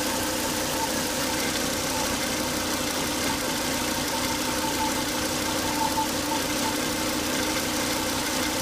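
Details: Volvo S80 2.5T engine after 10 to 20 minutes running: steady high whine over the idle, not changing pitch; too much crankcase vacuum sucking at the oil cap from failed breather box, solved by replacing the breather box/filter.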